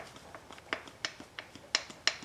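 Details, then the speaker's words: 2010 Chevrolet Silverado 4x4, upper control arm removed from the truck and worked by hand with no engine running: sharp, irregular metallic clicks, about four a second. The ball joint is worn out. "ball joint's wasted wasted all right I'll go get the new controller"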